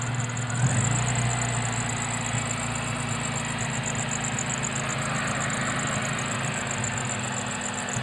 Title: jrsc belt squeal